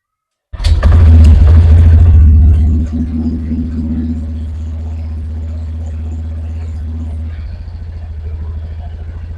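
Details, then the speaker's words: Honda Beat automatic scooter just after an oil change (0.8 L, filter cleaned) after 1 year and 4000 km: brief rev, then a steady, low, even idle, sound now smooth; normal idle. "Oke, untuk suara sudah berubah halus."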